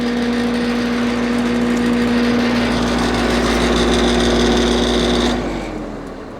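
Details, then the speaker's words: AC outdoor unit after a bad contactor was replaced and the thermostat switched on. The condenser fan gives an even motor drone with a constant low hum, then winds down smoothly; it runs normally. "And I assume you guys hear that. It's running."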